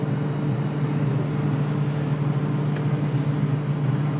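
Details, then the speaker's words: Double-door fridge with iced-up freezer and no cooling below, after servicing: freezer fan runs with a steady even low hum, no ticking, scraping or rubbing; fan spinning freely and cooling returns. "Sound கேக்குது fan ஓடுது பார்த்தீங்கன்னா sound"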